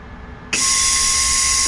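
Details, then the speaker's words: MIG welder on a Rover P6 inner wing repair, with a new gas bottle and regulator: a steady, even hiss starts abruptly at the nozzle, showing shielding gas flowing normally. "You can hear the gas. I'm hoping it's enough."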